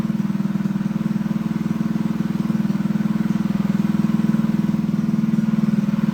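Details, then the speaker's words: Freshly built Honda GX200 clone single-cylinder go-kart engine, clamped to a table stand, first start on choke: steady low drone with a slow regular pulse about four a second, hunting slightly; lean running from a clogged carb jet, needs jetting, jet to be bumped up. "Well guys, she sounds pretty good. So she definitely needs to be jetted. So that will be our next step."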